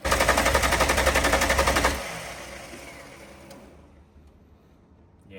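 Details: VL Berlina turbo build start attempt after coil changes, fuel pressure in doubt: rapid even string of sharp pops about four a second as it catches roughly, then dies; fuel delivery suspected.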